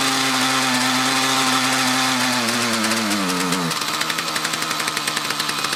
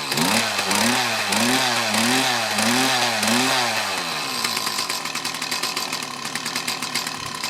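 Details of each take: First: Mantis tiller with two-stroke Kioritz Echo engine: buzz sags into uneven pulsing and bogs under load, runs again after idling; suspected fuel starvation from a restriction, maybe a dirty fuel filter or fuel lines. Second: Mantis tiller with two-stroke Kioritz Echo engine, after cleaning around carburetor and fuel lines to cure bogging; quick throttle blips rise and fall cleanly without bogging, then it drops to a buzzy, slightly uneven idle.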